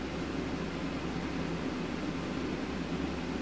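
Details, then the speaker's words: DeepCool Gammax L360 v2 AIO water cooler, about two years old, uncleaned, CPU near 77–80°C compiling on 20 threads: constant airy whoosh from fast-spinning fans, even and free of rattles or ticking; loud but normal under full load. "и по шуму Я думаю слышно уже готово Ну ладно это вот все 20 потоков Да достаточно громко но он практически так не работает"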